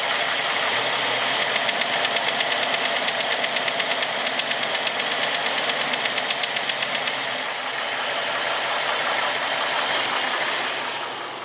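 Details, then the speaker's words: 1989 Jeep Wrangler YJ: loud knock from top of engine, about three beats a second, only in gear, with crazy blow-by and erratic vacuum gauge; none at idle in neutral. Also puff of smoke at start, sluggish and surging below 2200 rpm. "But then in gear, vacuum gauge. Knock. Crazy blow by. This is all in gear. Once again, the knock only happens in gear."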